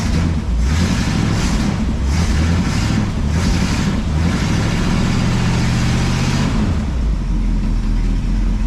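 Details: Cadillac, first start in about 2 months; deep steady rumble, quick throttle blips rise and settle cleanly; oil pressure about 22 rising to nearly 30 psi; running normally.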